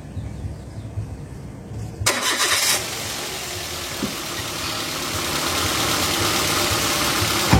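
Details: Petrol car engine starting: quick crank catches, then smooth even idle with no knocks or misses; normal healthy engine sound.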